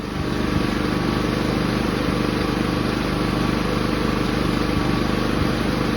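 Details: Inverter generator after its carburetor was cleaned and reinstalled, previously surging at idle/eco mode: one steady, even engine note, no hunting or surging, running smooth like new.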